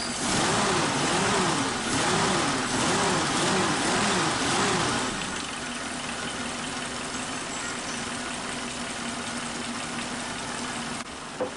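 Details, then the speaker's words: Suzuki Katana carburetor, engine warm after cleaning: idle hunts up and down about twice a second, then rises and steadies into an even hum as the idle mixture/air screw is backed out counterclockwise; unstable idle settling with mixture screw adjustment. "Nah ini kita lihat, kita dengar bahwa putarannya itu semakin tinggi kalau kita kendorkan atau kita putar berlawanan arah jarum jam. Nah ini semakin tinggi putarannya, semakin stabil."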